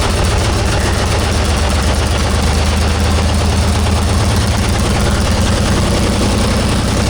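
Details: 1944 Cleveland 3-268A two-stroke diesel, first run after fuel filter housing rebuild and priming: deep, steady, heavy drone at an even pace with no stumbling; running cleanly.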